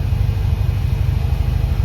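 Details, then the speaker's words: 1990 Dodge W250 Power Ram during test drive: after throttle the engine keeps idling high with no gas and won't drop back down; PB Blaster did not fix the high idle, cause unconfirmed. "It still is revving high. The PB Blaster apparently did not fix that."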